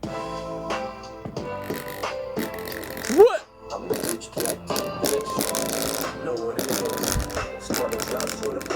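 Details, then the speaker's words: 2008 Toshiba Qosmio G50 laptop speakers at 100% volume: loud music with a buzzy, flapping rattle on bass notes; subwoofer smacking against the plastic, cone surround possibly broken inside (suspected, not confirmed). "The subwoofer is smacking against the plastic. The cone might be broken inside."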